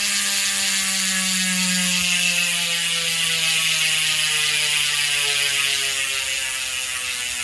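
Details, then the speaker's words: Trailmech rear freehub after repacking with fresh grease, coasting: fast, even ratcheting buzz slowly easing as the wheel spins down, checking whether it is still loud; normal freehub pawl buzz. "Pakinggan natin Trail Mech hub after na repack ng grasa, ng grease. Tingnan natin kung gaano pa rin kalakas ang Trail Mech, o na siyempre mababawasan na iingay nito."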